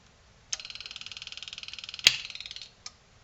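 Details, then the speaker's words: Selco Genesis 140 A inverter arc/TIG welder under repair, switched on with fan, temperature sensor and front panel connected and sense lines off: fast even ticking, then a snap as it tries to run; stops with a suspected sensor unplugged. "okay well it stayed on but we had the bloody thing trying to run which is not ideal"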